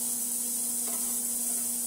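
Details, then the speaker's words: Repaired cheap ultrasonic cleaner (died after about 100 days), tested the next day with the tray in: steady low electrical hum under constant fizzing hiss, no dropouts, cavitating evenly from the bottom unlike the earlier muffled sound. "Now it's not, just cavitating like it was before. But you can definitely see it coming from the bottom, and you can definitely hear it."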